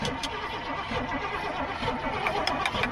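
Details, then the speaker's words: Old GMC gasoline bucket truck with Holley carburetor cranks in uneven bursts without catching, choke pulled; no fuel seen entering the carb while cranking, float suspected stuck, not confirmed. "Alright, Tommy. Alright, I'm gonna show y'all the inside of the carb when he actually turns it over, and you don't see any fuel coming down into that."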